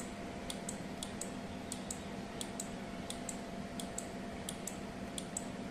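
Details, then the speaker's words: 12V relay LED flip-flop using only a relay, capacitor and LEDs just powered on: faint, crisp paired ticks about every two-thirds of a second over a quiet hum, relay switching back and forth normally. "Let's power it on. You can hear the tick tick sound. Please listen carefully."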